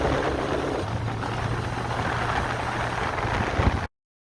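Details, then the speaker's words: 1981 Honda CB750K four-cylinder, unrun for about ten years, after carburetor rebuild and idle adjustment via bottom screw: steady, even hum with no missing beats, knocks or surging; idles and runs cleanly, normal running. "I adjusted the carburetor idle via the screw on the bottom. Didn't really have to make any more adjustments other than that. So we're good to go."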